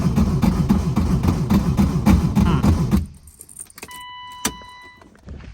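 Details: Crank no start on a BMW E36 318i four-cylinder after cleaning the ECU. The starter churns steadily for about three seconds but never fires. Owner suspects the ECU and plans to test fuel and spark.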